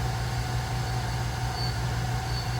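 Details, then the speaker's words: Small lathe/mill combo machine cutting a burner adapter: steady low hum holds even through the cut, gears quiet with no growl or grinding. Normal gear drive under cutting load. "if the gears run quiet in this thing it's not noisy or grow or doesn't sound cheap sounds"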